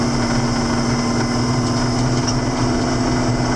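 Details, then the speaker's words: 7410 diesel tractor after an in-frame rebuild, at operating temperature and pulling a hill without downshifting: steady, even drone with a clean turbo whistle and no surging or misses, a healthy engine. "I can hear the turbo running a little better and cleaner. Well, sounds good to me."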